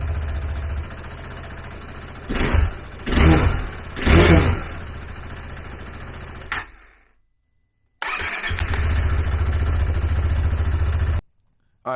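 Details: Cold KTM 390 Adventure after the PowerTRONIC ECU was plugged in: it cranks with rough bursts, catches briefly and dies, then restarts and holds a few seconds before cutting out. Owner suspects air in the fuel system after the tank was off; it needed wide-open throttle.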